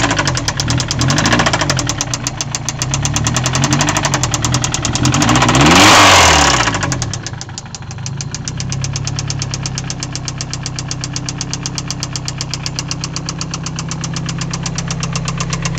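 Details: SR20DET-swapped 260Z idling with a steady deep rod knock, about four a second, persisting through a brief rev.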